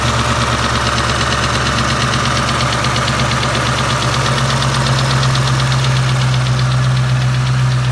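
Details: Warm 2003 Mustang Cobra SVT clone V8 with 17 lbs boost idling with a low rumble and a fast, light ticking, only warm at idle; began after the alternator quit on a 5th-gear high-speed run; lifters and roller rockers replaced, oil pressure good.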